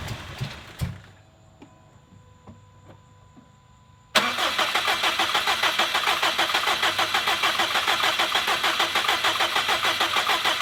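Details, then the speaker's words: 2017 Subaru STI (VA) with rebuilt engine, first start on a base map with the crank sensor reconnected: it fired briefly, died, then the starter whirrs steadily and won't restart. Fuel pressure read low and was raised afterward. "hahaha so it fired didn't last very long died and uh then it sounds like it didn't want to do anything else"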